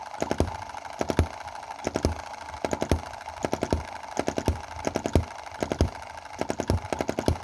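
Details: Chinese M19/EM2 hit-and-miss model gasoline engine, two months in, carb running very rich and plug fouling: uneven bunches of two to four sharp pops with ragged gaps, three skipped firings per cycle; misfire, owner suspects mixture/valve timing.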